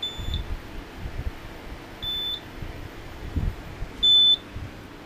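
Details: HP T1500 G3 UPS running on battery from an old 36 V sealed lead-acid pack under about 400 W load: short high-pitched beeps about every two seconds over a quiet room hum; the on-battery alarm is sounding.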